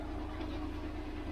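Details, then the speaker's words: VW Passat DSG at idle: a steady low idle with a coarse rattle underneath that was absent on the test drive. Owner suspects the dual mass flywheel failed suddenly; not confirmed. "the weird thing is do the dual mass fireballs can they give up like instantaneously like that because it definitely wasn't making this noise when i test drove it"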